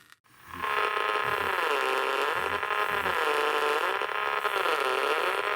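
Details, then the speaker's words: HiFiVox MH2000 reel-to-reel tape recorder under repair; wavering buzzy tone with slow rising and falling pitch from motor noise entering the amplifier, persisting with separate motor supply and head replaced by a resistor; suspected lack of screening, 11 µH choke on motor side helps. "i think it's a lack of screening on this amplifier hooked an inductor on immediately on the motor side that seems to help actually that's good"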